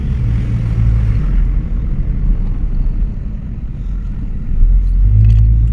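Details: 2001 Toyota Corolla on a test drive: low, even road rumble with the engine pulling smoothly, no knocks, clunks or grinding. Normal drive.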